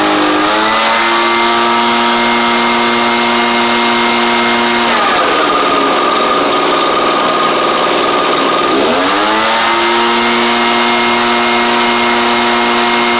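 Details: Echo PB-755ST backpack blower after a carburetor kit, previously bogging under throttle: crisp two-stroke buzz climbs cleanly to a high scream, holds, then drops back to a steady idle. Normal running.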